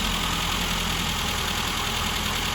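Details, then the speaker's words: Classic Mini four-cylinder idling after revival from nearly two years of storage; it started quickly once put back together after the seized fuel pump was dealt with. Steady, even beat with no misses or knocks: healthy normal idle. "sounds okay too actually started really quickly after putting it back together"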